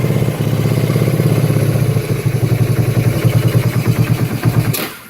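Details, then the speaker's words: 1984 Kawasaki Prairie KLT250 barn-find ATV, not run in years, first start on a jump pack: even, steady thumping idle with no tick or knock until it shuts off; engine sounds healthy. "well I tell you what that motor sounds good why Wow unbelievable I mean that motor doesn't even have a tick to it"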